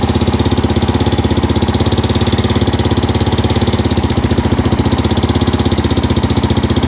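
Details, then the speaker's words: 2004/2005 Suzuki LTZ 400 single-cylinder at idle after another shop's failed valve guide job, heard via stethoscope up top on the valve guide side: fast even idle with sharp ticking clatter each cycle. "it sounds a little noisy up top on this side where that uh valve guys feel with our valve guide you put in it"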